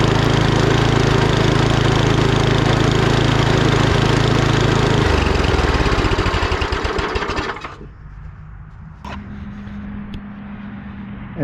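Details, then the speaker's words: 39-year-old Gilson snowblower with Tecumseh engine, after cleaning the carburetor and flushing water from the fuel line (gas had been left in the tank): fires right up and runs fast and even, then winds down smoothly; normal running. "that's how your snowblower should start any snowblower whether it's a Tumi engine on it the bridgs and Stratton one or two pools it should fire right up"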